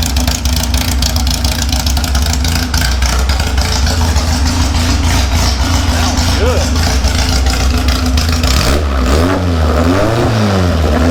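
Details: 1956 VW oval-window Beetle: even, throaty idle with steady beat, then clean throttle blips rising and falling smoothly; engine sounds healthy.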